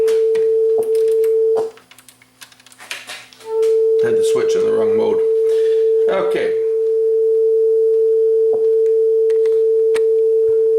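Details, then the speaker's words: Sanyo dual cassette deck playing a 440 Hz test tone checked with a guitar tuner: steady pure tone reads sharp because the capstan motor runs fast. Adjusting the motor speed trim screw. Cassette deck running fast. "our 440 hertz tone which is the music note a is high so we're just going to put the screwdriver in the back of the motor here and adjust it so that it's going the right pitch"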